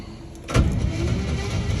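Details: 1949 Ford shoebox sat 50 years, after freeing the seized engine and cleaning it out: the starter spins it over steadily without binding. It now turns over freely; the stuck valves still need freeing.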